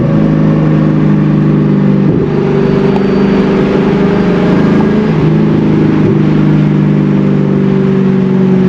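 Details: C5 Corvette, manual, hot day, accelerating from a light after the intake was reinstalled; clean steady note climbing through each gear, dropping at shifts, no misses or odd noises; healthy pull.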